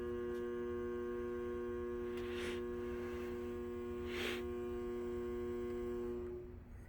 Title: Gr1 relay buzzing noise